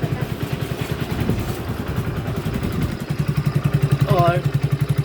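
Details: Hero HF Deluxe BS6 motorcycle with about 7,000 km, after timing chain replacement for chain noise: engine idles with an even, steady low thump and no chain rattle.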